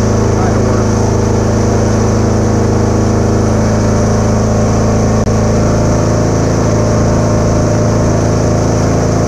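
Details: Kubota A3500 generator, about 10 hours use, cleaned carburetor, new gaskets, air filter and spark plug, uses some oil: steady, even drone with constant low hum, no misses, surges or knocks; outputs proper voltage; normal running.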